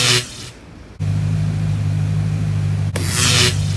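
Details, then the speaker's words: 1990 Lincoln Town Car 5.0 budget drag car, first run after transmission install on jack stands, about a quart of fluid added after checking level: steady low hum with even beat, no knocks or slipping surges; normal running. "We've got it running, we checked the fluid level. We had to add basically a quart."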